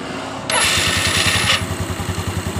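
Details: Yamaha Mio scooter after replacing CVT pulley and rollers, sometimes slips at the one-way clutch on electric start: short smooth starter whir, engine catches at once and idles evenly; clean normal electric start.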